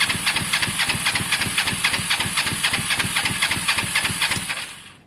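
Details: Motorcycle cranks about five seconds at four beats a second, never firing. It has spark, fuel and maybe a clean carb, and the spark plug is only hand-tight. Owner suspects caked plugs needing cleaning or replacement.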